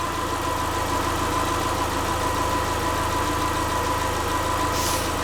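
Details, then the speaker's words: Subaru Forester with freshly reinstalled EJ25 flat-four, valves not adjusted, warming up around 114–120 coolant, learning idle: steady, even, regular firing with no knock or miss; normal warm-up idle. "yeah a little warm up it's learning its idle and everything so it's gonna scratch so far it's running pretty good"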